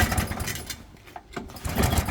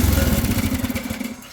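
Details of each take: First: Atco Balmoral 20S 20-inch cylinder mower, choke on, fuel not turned on: repeated pull-cord cranking bursts about every two seconds with no firing; once fuel turned on it runs well (fuel line previously replaced). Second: Engine-powered lawn machine (not Briggs and Stratton), not self-propelled, blades engaged then switched off: fast pulsing rumble fades steadily over about 1.5 seconds as blades coast smoothly to a stop; runs really well.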